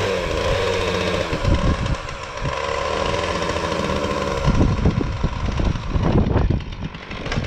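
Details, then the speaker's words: Husqvarna 450 X-Torq chainsaw with new bar and chain, first start: uneven burbling idle with surging revs, rich on the top end; owner later suspects carburetor just out of adjustment, replaced carb anyway; rough running. "yeah she's running a little rich so let's get some advice"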